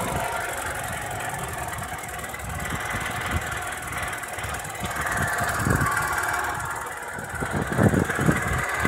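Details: Opel Astra F 1.4 8v Si (C14SE) petrol at idle with a loud whirr, grinding and uneven knocks that seem to come from low in the engine. The owner suspected timing or bearings, but it was a failed coolant pump; after replacement it runs quietly.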